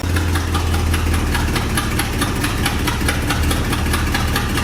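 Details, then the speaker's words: 1972 International 1110 truck after replacing the wrong metering block gasket and other consumable carburetor parts: very slow, low, even rumbling idle with no stumbles or misses; healthy, just idle set low. "Wow, that's very low idle, but finally. So I had the wrong metering block gasket in there, as well as a couple other little consumable parts that I didn't replace."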